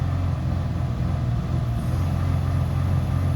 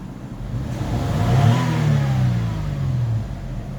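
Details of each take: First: Toyota Highlander with 16 fault codes incl. random multiple-cylinder, cylinder 1 and cylinder 5 misfires, before coil replacement: uneven, lumpy engine note stays flat and won't climb under throttle, revs held down by misfire; ignition coil suspected bad. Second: Toyota Highlander after replacing the ignition coil for random, cylinder 1 and cylinder 5 misfires: engine pulls up smoothly past 2000 rpm under throttle with no stumble or popping; revs cleanly, misfire fault corrected.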